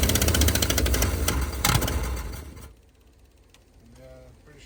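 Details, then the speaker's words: 1971 Ford F250 V8 parked 30 years, -15 °C morning, on booster cables, choke held open after possible flooding: fires and runs loud and rough with rattly beats, smoking, then dies; suspected stuck passenger-side valve, possibly bent pushrods. "Stuck valve on the passenger side. Probably bent the push rods now too. But it ran. Smokes a bit. She ran though."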